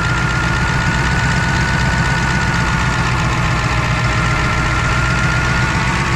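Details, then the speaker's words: Ford F-550 diesel just cold-started in a blizzard with starting fluid, oil pressure confirmed: deep, steady rumble holding an even idle without stumbling or hunting; runs well at idle. "Oh yeah, it's got oil pressure. I mean, she runs real good at an idle."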